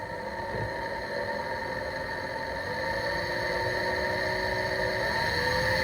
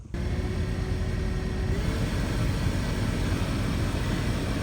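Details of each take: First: The blower motor in my 2010 Chrysler Town and Country minivan has started making horrible screeching noises. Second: 2010 Chrysler Town & Country minivan after blower motor replacement: heater blower starts and runs with a smooth steady rush of air, previous screeching gone.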